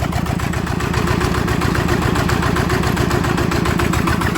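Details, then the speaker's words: Yanmar TF85 LM single-cylinder diesel that turned stiffly and seized, with a worn O-ring due for replacement: even steady thump about 220 beats a minute, gears very quiet, no whine or clatter; normal idle. "แเืองนี่ถือว่าเงียบมากใช้ได้นะครับเสียงเืองนะครับ"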